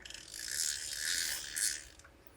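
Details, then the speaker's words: Shimano Ocea Jigger 4000 right-hand reel, reassembled after service, drag set to 0 for a clicker check: fast, even ratcheting rasp with no catching or grinding. Drag clicker sounds normal. "Suara clicker aman, kemudian kita kencangkan lagi."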